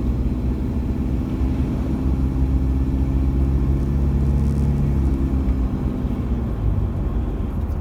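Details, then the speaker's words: Same diesel warmed up near full temperature, while driving: a steady, even, unremarkable clatter, just a normal diesel rattle now. The cold combustion rattle, possibly from injectors, is hidden once warm. "you notice the difference it's just your normal diesel rattle now"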